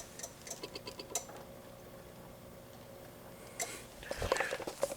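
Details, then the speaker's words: Honda Big Red Ruckus on its stock battery, which has blown cells: quick, dry relay ticks about five a second in short bursts, no fuel pump sound, and the starter does nothing when the button is pressed, from lack of current. "but you can hear the relays ticking which means they don't have enough juice you can hear them tick tick tick and when you go to push the button nothing happens"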